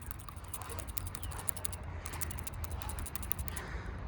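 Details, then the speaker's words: 2013 Honda Civic with 136,000 miles, PCV valve removed and cleaned: shaking it gives quick, crisp, free ticks, so the valve plunger moves cleanly and the valve is good. "Clean, and you can hear the valve ticking. So that means it's good. You definitely hear it clicking"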